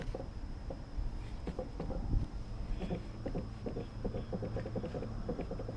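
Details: 2015 Lexus ES350 with a rear clunk over bumps: irregular hollow clunks and ticks over low road rumble while driving; traced to sunroof glass set too high knocking against its seal.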